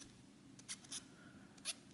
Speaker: seen since we used turning fine but you hear that squeaking okay